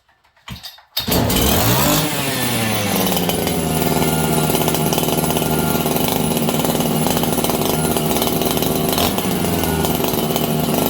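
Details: Farmertec 288XP kit chainsaw just repaired after a failed ignition (new spark plug), cold at about 5°C: fires and settles into a high, thin, racing buzz that hunts slightly. Running lean.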